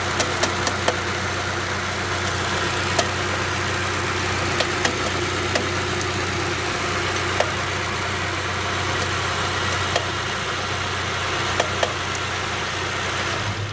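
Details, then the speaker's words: GAZ 2790 running on newly fitted LPG: at idle after driving (fine on morning start), sharp metallic, bell-like ticks come and go irregularly. The owner suspects a connecting rod or piston slap and plans to open the engine. Intermittent engine knock at idle. "то есть именно проезжаешь на машине заводишь с утра всё нормально проезжаешь на машине куда-либо неважно причём особо сколько на холостом встаёшь и начинает она стучать то постучит успокоится успокаивается"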